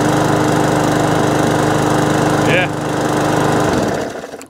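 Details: Briggs & Stratton overhead-valve E-series mower engine after a surging fix tried before replacing the carburettor, fuel primed two or three pumps; single cylinder holds an even, steady beat with no hunting or surging before shutting off; normal running.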